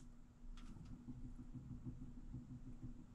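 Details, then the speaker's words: Nine-year-old furnace in heating mode, second stage: a steady, low blower motor hum with an uneven, rough rumble pulsing underneath, from worn bearings in the blower motor. "that's going to be the bearings in that motor so that's what it was"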